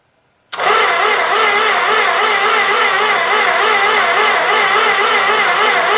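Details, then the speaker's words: Old 318 engine sat for a long time, gas poured in carb bowl, starter fed through jumper cables: sluggish, labouring crank about four turns a second, never catching; slow crank, no start. "you can tell it's not really not really cranking very good because I'm using jumper cables for starter cables and they're not exactly the best for that purpose but uh it should work"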